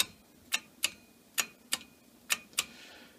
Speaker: so if your portable hard drive or your hard drive in your computer is making that noise and chances are this is what's going to be causing it the red head is going to be doing this